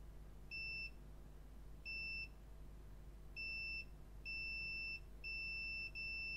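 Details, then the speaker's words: MacBook Air A1932 with no power, logic board with no visible oxidation, checked with a multimeter in continuity mode: clean high-pitched beeps in six bursts as the probes touch, indicating a short circuit on the board. "Ah, alors je sais pas si vous entendez, mais bon là ça bip. C'est pas normal. Là ça bip, c'est pas normal."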